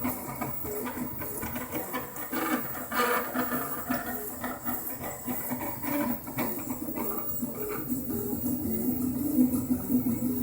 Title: Craftbot rattle noise